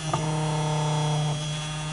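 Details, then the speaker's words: Singer model 221 sewing machine with a new Superbelt V-belt, motor at full power, screw loose while lifting the motor: any position below fully raised drops rpm; steady low hum sags and softens as the over-tight belt drags the motor. "i have the screw loose and i'm lifting the motor up and anything other than as high as it'll go does drop the"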